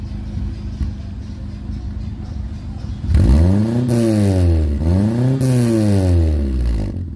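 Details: Nissan Sentra after installing a 4-inch round-mouth sport resonator, loose squeak tightened: two clean revs rise and fall smoothly with a deep even exhaust note and no rattle or squeal.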